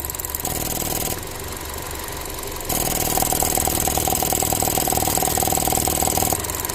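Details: Ford Transit Connect that dies randomly, cold engine still warming up at idle: a crisp, even tick about four times a second as the weak purge valve sticks open repeatedly; purge valve stuck open, needs replacing.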